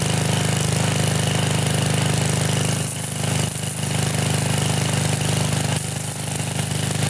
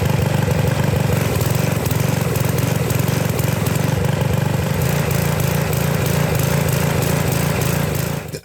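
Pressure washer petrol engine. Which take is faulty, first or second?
second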